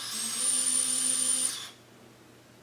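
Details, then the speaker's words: GoFly Falcon CP90 Pro quad, props off, battery plugged in after ESC throttle calibration, throttle raised; thin, steady high whine from the motors spinning slowly and evenly, then stopping. Normal. "Let's move it up. You'll hear the motors running."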